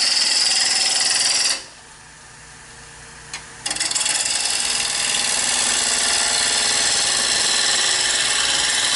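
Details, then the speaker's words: Half-inch bowl gouge smoothing an out-of-round blank from a board on the lathe; cut hammers about four times a second in an uneven chatter as the tool hits a flat spot, an interrupted cut. "I'm gonna start by just smoothing this off because it's way out around"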